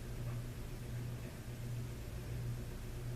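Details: 1993 Hampton Bay Landmark first-generation ceiling fan on a garage test mount, low speed: constant low electrical hum under soft air hiss; hummed even without the light kit, cause unknown; motor hum.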